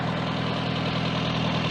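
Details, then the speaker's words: Austin Allegro 1300 Estate idling after resetting valve clearances and setting ignition timing to about 8–10 degrees, vacuum advance still disconnected: steady, even low hum with no ticks, misses or knocks; normal idle. "and the valves are valve clearances are good and our ignition timing is okay."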